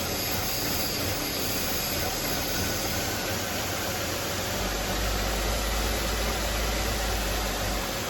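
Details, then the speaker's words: 2004 Buick LeSabre on final test drive after misfire repair, new belt, battery and thermostat, warm with normal coolant temp; steady, even engine note under road and wind noise, no stumbles, check engine light gone. "all right guys i am super stoked right now the check engine light is gone everything is good she's running smooth on this last test drive here"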